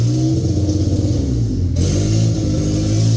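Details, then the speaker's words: K20Z1 K-swapped Honda Civic EM1 on a new DC5 Creations conversion harness with KPro, first start with the fuel pump jumped: petrol idle a bit high and uneven with a choppy beat and brief blip; owner suspects an air leak, unconfirmed. "That's I just idle a little bit. It's a little high. All right, she has a little air leak, but she's turning on."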